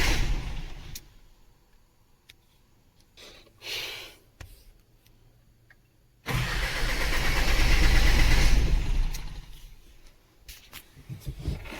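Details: Isuzu diesel with battery fine but not starting; starter cranks steadily about three seconds with no firing; engine stop motor suspected still holding fuel off, to be checked for current.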